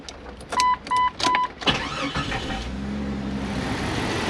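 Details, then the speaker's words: Late-1990s Jeep Cherokee XJ with about 150,000 miles and some oil leaks: after door chimes, a quick crank and catch settles into a steady, even idle with no knocks. Running like a top. "Seems to be running like a top, no problem. Got a little bit of oil leakage here and there, but that's pretty much par for the course for something with 150,000 miles."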